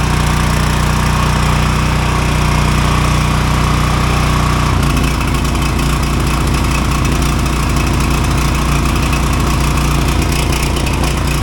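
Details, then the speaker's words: Neighbor's Ryobi generator, used once then stopped; CO sensor said faulty, bypass wiring failed. After rewiring, most CO-sensor wiring disconnected, kill ground kept, small single-cylinder engine settles to a steady low drone, no misses or surging; running properly. "So I got this running. It had a lot of wiring things going on over here."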